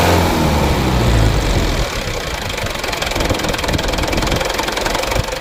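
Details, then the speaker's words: Mitsubishi Fuso Canter 136 PS diesel truck, about 2021–2022, nearly new: uneven lumpy idle with irregular pulses about three per second, shakes then settles, cannot hold 600 rpm; mechanic suspects injector nozzles then valves, not confirmed. "Nah di sini yang jadi permasalahan teman-teman ya, seperti ini. Supaya teman-teman tahu semua. Nah ada goyang sedikit baru anteng begitu."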